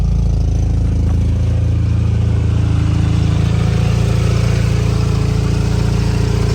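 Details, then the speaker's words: Rotary engine at first start after a new generic intake replaced the old HKS at the MAF housing: deep, even burbling idle pulsing about four times a second, with no misses or knocks; normal idle. "what's up dude sounds so good oh man so sick so so sick"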